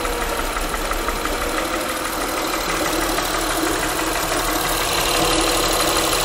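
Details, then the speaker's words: Honda Pilot idling, microphone held close to engine: fast light ticking, roughly three per second, over a steady idle; top-end tick whose source is still unknown, cylinder disabling and pulse sensor used to locate it. "so looking at this honda with the little engine tick sound you probably saw in the video where i was disabling some of the cylinders to see if the noise went away"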